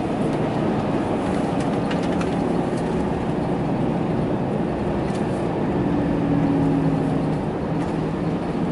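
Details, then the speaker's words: RAM truck front axle at coasting speed after the owner replaced the front diff bearings and refilled gear oil: steady road rumble with no grind or whine rising with speed; the earlier grinding is gone and the axle sounds healthy. "see yeah I don't hear nothing I think we're good guys"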